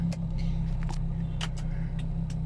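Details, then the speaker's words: Hyundai Getz idling after replacing the IAC valve and TPS, with headlights and aircon on: low, steady idle hum, rpm not fluctuating or dipping under load; normal idle. "So still kahit nag headlights tayo, hindi siya nag-fluctuate yung RPM. So kahit naka aircon."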